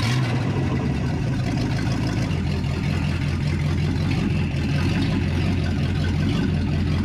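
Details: 1961 Chevrolet Parkwood wagon V8, carbureted, started after the build with timing set by ear before verifying top dead center: deep, steady burble with an even beat and no misses or knocks; normal idle.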